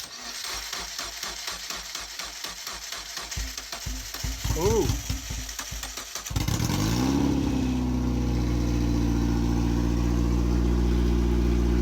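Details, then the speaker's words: MEV Exocet kit car with Mazda MX5 engine, first start after build and fluid fill: about six seconds of even cranking, then fires and settles into smooth steady idle; starts and runs, timing set correctly. "Yes. That is very good news. So, starts and runs."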